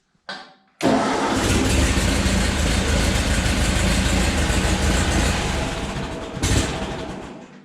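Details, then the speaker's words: Ford 8N tractor after coil-to-distributor contact repair, fuel valve off, running on residual carburetor gas: cranks, sputters roughly a few seconds, then dies, as before; owner suspects a fuel issue, problem not fixed. "now see this is what it was doing before it would sputter like that and it would just shut back off again so we haven't actually fixed the problem"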